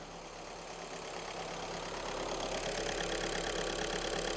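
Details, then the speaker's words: Scrapped VW Golf being repaired, running on a battery booster with engine management, traction control and ABS lights still on; steady, even, smooth idle with no knocks or misses, running nicely. "I'm not too worried about them but it's running quite smooth yeah it's running all right it's running nice"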